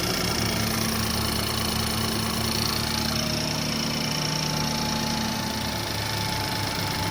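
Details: BMW F30, first startup after new front-end parts and intercooler install: steady even idle, smooth low hum, faint fan noise, no knocks or misses; normal idle.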